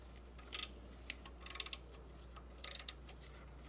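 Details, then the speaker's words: 2000 Infiniti G20 (Nissan Primera P11) after new drive belts, noise persisting: irregular clusters of sharp ticks and chirps over a steady low engine hum from the crankshaft pulley; owner suspects the balancer's rubber is breaking apart and the pulley is slipping. "as you guys can tell the noise is coming from the crankshaft pulley so what I'm thinking is that the crankshaft pulley is going out and the rubber on the pulley is starting to break apart and the pulley is slipping"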